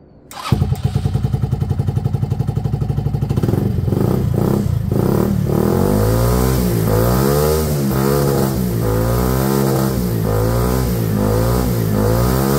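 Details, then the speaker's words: Benelli Velvet after wiring checked, running with no airbox, exhaust hot: catches immediately, putters evenly, then picks up cleanly through throttle blips with no misfires; engine sounds healthy. "I agree I agree it sounds healthy but that's it that's it running off its own fuel with no airbox"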